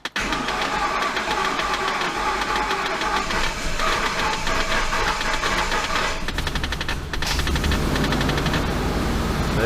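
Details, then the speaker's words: 2008 Ford Expedition, 5.4 3-valve Triton engine swapped in with new timing kit, first start: catches quickly, settles into even idle, no knocking or ticking, gauges good; normal idle. "we go all the gauges look good everything's looking good sounds good we gotta running engine"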